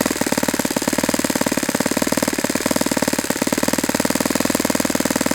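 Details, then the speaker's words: Saito FA-91S model four-stroke glow engine on a test stand, tuned idle: quick, even popping beat holding steady with no stumbles or dropouts; clean normal idle, possibly a little lower than it wants. "That might be a little bit lower than it really wants to sit at, but I like the idle. This is a good sound."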